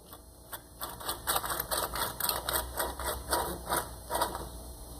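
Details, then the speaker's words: Yamaha Big Bear 350 front wheel bearing, removed with its hub and turned by hand, gives gritty clicking and rasping in uneven bursts; the seal is cooked and the bearing super dry. Dry, rough wheel bearing. "like it's super dry and unfortunately it's been done before"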